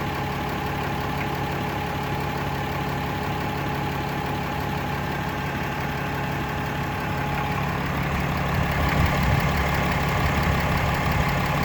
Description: Random knocking or ping noise in brand new cummins 6.7